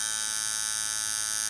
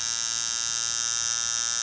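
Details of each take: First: Camber Custom coil tattoo machine set to 7.5 volts with a fairly long throw: bright, steady electric buzz with even pitch, clean cutoff, no rattle or stutter; running well-tuned. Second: Custom flat-spring coil tattoo machine with short coils, driven at 10 volts: hard, fast, rasping buzz cutting in and out. Coils likely overloaded by too much voltage.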